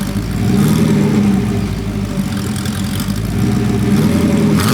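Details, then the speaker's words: Porsche 928 V8 after sitting 10 to 15 minutes: idle hunts and stumbles, rising and sagging, and the engine is poorly tuned. A later mixture tweak made it happier at idle. Rough idle. "it's actually struggling to ID at the moment as well so it's clearly not tuned up particularly well"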